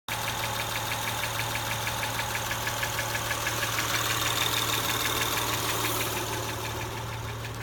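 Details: Acura TL engine at idle: even, crisp ticking about three times a second over a smooth idle, keeping time with engine speed.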